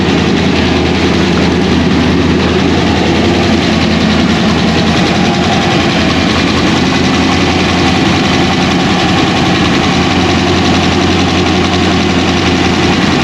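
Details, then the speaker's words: 2001 Pontiac Trans Am WS6, rebuilt 500hp LS1 V8 with big cam, first start after engine-dyno break-in: deep, uneven lumpy idle with steady choppy cam lope, even and strong; healthy normal idle. "yeah now you can hear the chop there's the chop baby so there it is folks it's alive"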